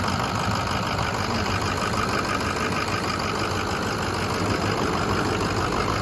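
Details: 2006 Ford F-350 Lariat, 6.0L diesel, 6-speed manual, 4WD, 252k miles, factory head bolts, EGR valve in place, cooler rerouted, newer-looking turbo: even diesel clatter at steady idle without misses, surging or heavy knock; normal, healthy idle.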